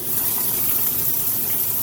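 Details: Maytag washer in excellent condition, tested during fill: steady rushing hiss of water pouring into the tub, even and unbroken with no buzzing or chatter; the fill sounds normal.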